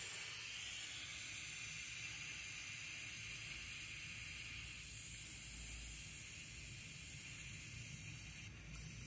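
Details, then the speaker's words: Loft bedroom radiator on the second floor of a heating system being bled: steady hiss of escaping air, no water yet, flow slowing slightly; air trapped in radiator. "because that I can hear the air water's not com out yet but the air is actually slowing down a little bit it's not coming out quite as forceful"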